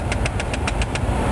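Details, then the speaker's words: 2004 GMC Envoy SLT, automatic climate control, engine idling, after HVAC recalibration: sharp regular clicking about seven times a second when mode button pressed; mode door actuator with stripped gears, air only from defrost vents, needs replacement. "so if we hit the mode button though you can hear there's the actuator clicking away again"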